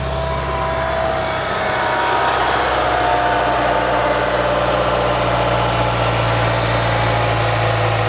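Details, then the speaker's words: Honda Civic Type R EP3 with Fujitsubo exhaust and DC Sports 4-1 manifold, at start-up: steady even idle, smooth low exhaust note, no top-end ticking; healthy normal idle. "as you can hear there's no like ticking or anything just smooth it's actually weird hearing it without having the dropping cams like my car yeah super smooth"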